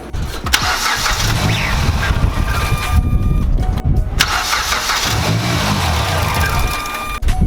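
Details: Mazdaspeed3 on first start after a 3.5" intake, Corksport intercooler and high-pressure fuel pump, with no base map yet. Starter spins in long cranking runs with no firing: cranks but won't start, cause unconfirmed.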